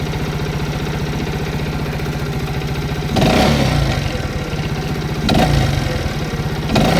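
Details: Viper Active single-cylinder after a knock traced to dampers that disintegrated at 22,000 km was fixed, running without the muffler: even idle with a few throttle blips and no knock; normal, almost like new.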